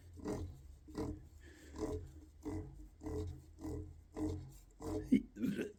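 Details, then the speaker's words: 2nd-gen Yamaha FZ1 stator rotor turned by hand in its bearing gives rough gritty grinding bursts. The bearing has noticeable play and resists turning, so it and the case bearing likely need replacement. "that's not right bearing should have be making that noise and like I said I when I tried to spin it by hand that doesn't want to turn something tells me that this bearing is in need of replacement"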